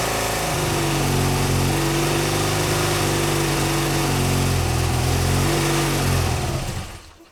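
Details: BMW R100GS Paris Dakar boxer twin, first start after engine reassembly: uneven, lumpy beat around four pulses a second, then dies away. Rough running; owner suspects carb tuning and unsynchronized carbs, not yet adjusted.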